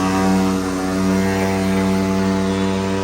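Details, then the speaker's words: Jandy Pro Series Flow Pro pool pump motor: constant loud hum with a steady low tone from the motor/filter housing; owner suspects a bad bearing. "so basically I've done some research and it looks like it's a bad bearing"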